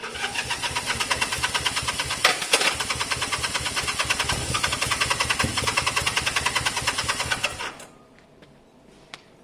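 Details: Honda CB200 motorcycle, first start attempt after many months sitting, rusty fuel tank, new air filters, fresh fuel: even electric-start cranking at about three and a half turns a second for nearly eight seconds, then stops; cranking sounds healthy.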